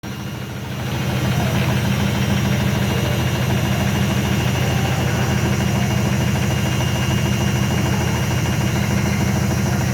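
Loud, steady low rumble with a fast regular thump, about three per second, throughout the spin; cause not clear.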